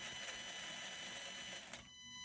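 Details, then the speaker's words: Redcat Ascent crawler on 3S with new Holmes Hobby Crawlmaster Sport 550 motor, slow throttle: smooth high gear whine with no clicking. The driveline was loud before this fix and is now much quieter and runs freely. "Your drive line's way quieter. Before, you can listen to the videos of this truck running, and it had that kind of it was just loud."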